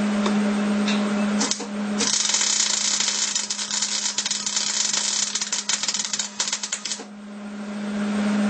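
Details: Hobart Handler 210 MIG welder tack-welding horseshoes (not mild steel): irregular crackle and popping over steady hum, sputtery arc because the gas line wasn't purged; welds not porous, heat slightly high.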